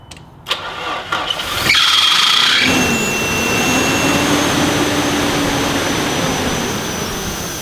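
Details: Nissan Pathfinder after intake manifold work and looped heater thermostatic valve hose: steady high-pitched whistle over idle and revs, suspected vacuum leak; source not found.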